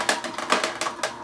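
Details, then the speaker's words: Omega VSJ843 vertical slow juicer, several years old, juicing a wide carrot: sharp crunching cracks about five per second as it grinds and squeezes hard, with no squeal or slipping; normal operation under load. "You can really hear it grinding and squeezing really hard."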